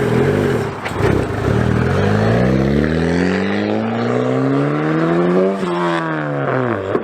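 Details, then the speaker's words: Turbocharged 4th-gen Honda Prelude build, heard from outside as it pulls hard: the pitch climbs smoothly and evenly through the rev range with no knocks or rattles. Healthy engine, normal revving. "Sounds fucking good. Dude, this is the first time I'm hearing this from the outside. Man, dude, that thing sounds good."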